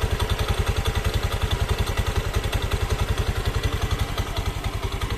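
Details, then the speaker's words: Honda Beat FI scooter at idle, noise at idle and when first started in the morning: steady rapid clicking, about 160 a minute, rattling from the rear pulley area; variator rollers found worn. "Nah, ini suara gini saya sering banget terdengar ya, motor-motor untuk Beat yang seperti ini. Ini suaranya klik klik klik klik klik gitu kan."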